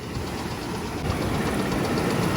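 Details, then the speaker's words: 2001 Oldsmobile Bravada bought at auction, warm idle with engine vibration, 40 psi oil pressure and a blinking service engine light; a steady deep knock under the engine note at every turn. Suspected spun bearing, bottom-end knock unconfirmed. "But it sure does sound like it's spun a bearing in the bottom."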